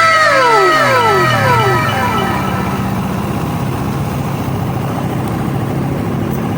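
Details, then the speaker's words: Raider 150 motorcycle after cam replacement for ticking (lagitik) noise: revs fall from high and settle to a steady, even idle with no ticking over the exhaust. Engine fixed. "Ayos na ang makina ni boss ah ginawa natin ang lahat para magiging ayos talaga para wala ng balikan"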